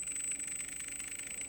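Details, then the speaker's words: 3D-printed electric motor on its electronic speed control, powered but not turning: a thin high whine with a rapid, even chirp and no spin-up; rotor is sticking and lacks power to break free. "It's trying to get that to rotate. That's an indication that it's sticking. It's getting power."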